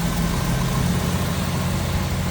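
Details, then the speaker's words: 1986 Jeep CJ7 4x4, all-steel body, idling with hood open; HEI ignition, newer plugs and wires; steady, even low rumble with no knocks, ticks or misses, sounds healthy. Normal idle. "Sounds good, looks good underneath there."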